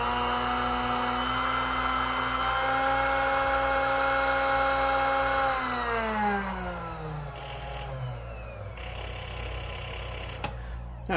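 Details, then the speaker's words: Sunbeam Mixmaster Model 12 after replacing a broken part; even, clean motor whine holding steady, then pitch sliding smoothly down as it spins off. Runs like new; normal running. "so as you can tell, it runs like new again."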